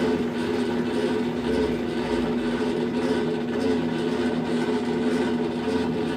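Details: Colormaq LCA12 washing machine spinning: loud, steady gear-like grinding roar, caused by a faulty wiring harness connector joining upper and lower wiring; replacing the control board didn't fix it.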